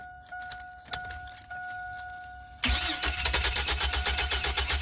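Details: Chevy Astro 4.3L (2003 or 2004), crank/no-start with good fuel pressure, while the ignition coil primary is scoped and shows no oscillations. The starter churns in even pulses, about four a second, and the engine never catches. Crank, no start.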